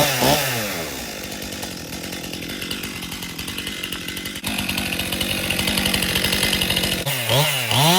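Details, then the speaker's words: 2018 Stihl MS261 M-Tronic chainsaw used for construction, owner complaint hard starting and bogging when hot; test cut in 95° heat: saw revs hard, bogs and chews slowly with rough strained buzz, won't pull through wood. Chain too dull; dull chain may be overheating it. "So, right off the start, can't even test that saw. It's so dull. It will not pull itself through the wood."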